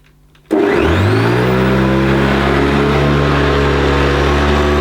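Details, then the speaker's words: Classic Hoover Decade 80 upright vacuum imported from the USA, running on normal setting before power surge switch: motor spins up to a loud steady roar with strong low hum and some vibration; noisier than expected, cause not found. "so it's pretty noisy on normal what's it going to be like when I flick the power surge switch"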